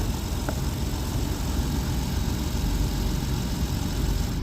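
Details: Jeep Wrangler Sport that died while driving and then cranked but wouldn't start, running again after a blown fuse was replaced: steady, even low rumble without misses or knocks; starts and idles normally.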